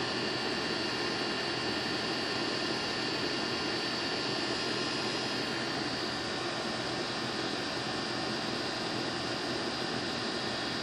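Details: Goodman condenser with a bad capacitor: a steady, even rush of fan air over a smooth compressor hum with no rattle or buzz. The unit is slightly overcharged, with superheat settling around 12 as the temperature reaches 60, and is running healthy.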